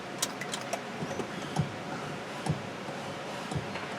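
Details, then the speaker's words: Ford Mustang towed in as a no-crank, in neutral with the key on: a few faint irregular clicks about once a second come from the passenger side over a quiet background and fan noise; the engine does not crank. "oh i do hear some clicking down there in the passenger side"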